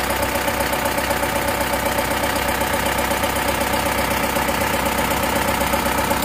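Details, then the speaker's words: Isuzu Bison diesel, Panther Turbo Euro 2 engine, repaired repeatedly, liner replaced, just restarted after rebuild: harsh steady clatter with a regular knock about four times a second at idle; injection pump timing still not right. "ini untuk timing bos pomnya Masih belum pas ya suaranya masih ngelhat masih kasar dengarkan terlalu kasar dia Suaranya kerang kerang kerang pad harusnya enggak gitu suaranya"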